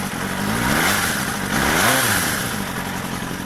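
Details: Suzuki GSXR 400 (GK73A) motorcycle on its side stand idling with a dry mechanical engine rattle that rises with throttle blips; it persists after a cam chain tensioner replacement, cause unknown.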